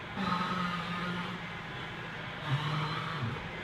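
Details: 1998 Ford Taurus raised on jack stands, two drawn-out one-second groaning creaks as the steering wheel is turned; steering creak, source unknown.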